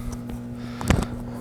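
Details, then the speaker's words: LG WT1101CW direct-drive washing machine just plugged in and powered on: steady low hum from the motor running nonstop, caused by a bad $2 relay (OMIH-SH-112LM) on the control board; fixed by replacing it. "that is the wash motor running why is it running got me turn it off"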